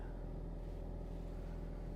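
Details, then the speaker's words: Ford Mustang EcoBoost 2.3-litre at a Copart auction yard, idling with the AC on and no check engine lights. Low, steady idle rumble at an even speed with no ticking or stumbling; it sounds good. "Not seeing any check engine lights. Sounds good."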